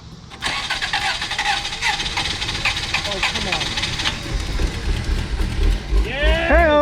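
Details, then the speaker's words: 1991 Toyota Corolla, 1.6L inline-4, about 113,000 miles, sat 2+ years, two-year-old battery, possibly old fuel: starter grinds several seconds before engine catches and stumbles into rough idle; hard start after long storage. "I hope it still runs super crank probably won't because the battery's two years old no he wants to start"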